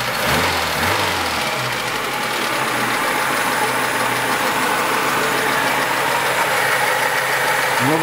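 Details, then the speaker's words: Lada Niva 21213 carbureted, cold engine, just started after ignition repair including a new ignition module; even, steady idle with unchanging beat, no clicking or stumbling; smokes somewhat; normal idle. "вроде так сейчас даже не щёлкает ничего так ровненько работает"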